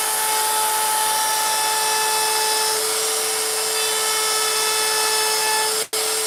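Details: Router carving a wood sign with a 90-degree bit, which cuts faster than the profile bit: high, steady motor whine holds pitch under load with no chatter or bogging; cutting cleanly.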